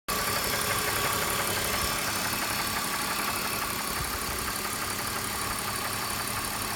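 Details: BMW M54B25 engine on a cold morning start, 5W-40 Motul oil; oil pressure lamp goes out 2 seconds after charge lamp; light, even ticking knock about three per second over engine hum at cold idle, source not pinned down.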